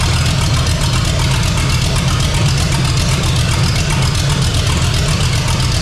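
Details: 454 big-block V8 in a Civic, first run on temporary systems, new out-of-box carburetor: deep, lumpy but regular burble at steady revs, no knock or miss; normal idle.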